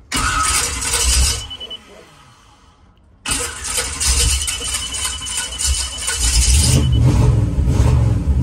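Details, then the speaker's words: Volg with Sniper EFI and brand-new coil: engine fires, revs briefly, sags and dies within two seconds, then catches again; starts then stalls, won't idle although the RPM signal doesn't drop out. Cause suspected, CDI box questioned, not confirmed. "and that's it it starts up and it dies starts up and it dies it doesn't stay idling"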